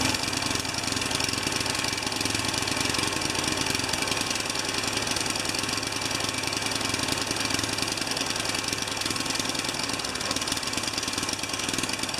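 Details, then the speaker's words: Tecumseh 3.5 HP mower engine, reassembled test run: single cylinder runs unevenly, stumbling with no steady beat; ran better with intake restricted, owner suspects a missing tiny gasket, cause unconfirmed. "okay one more little test run it ran a little erupted a little better when the input is restricted I don't know what was choking up"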